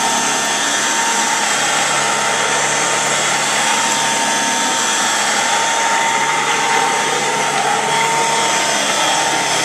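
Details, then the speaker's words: 1930s Kenmore "Automatic" upright vacuum with a Bertman motor and a stand-in belt, not the correct one, at startup: a steady high whine with even airflow hiss and no rattles or speed dips. The motor runs normally. "okay so go ahead and fire it up it has that very distinct startup sound to it it's like well it's a Bertman motor kind of like the old apex or premier uprights so here we go"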